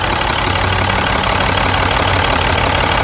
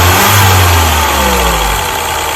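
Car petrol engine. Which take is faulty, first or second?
first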